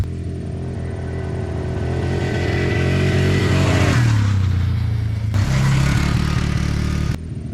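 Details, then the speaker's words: 2004 Polaris Trail Boss 330 ATV on a ride test after transmission repair: revs climb then stumble and cut out twice under throttle; rev limiting from a completely dead battery the charging system couldn't keep up with, ran fine with a jumper pack. "well it ran and drove okay it was kind of rev limiting cuz I had a dead battery in there and these charging systems can't really keep up if they have a completely dead battery in them"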